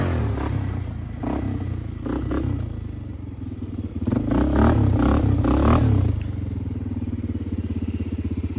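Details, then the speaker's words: Flood-repaired 2001 Polaris Sportsman 500 HO test ride under load with rigged, zip-tied aftermarket exhaust: loud quick single-cylinder thump building as it pulls, settling evenly; runs clean. "I will say, this is one loud Sportsman 500. I don't see too many Sportsman 500s with exhaust."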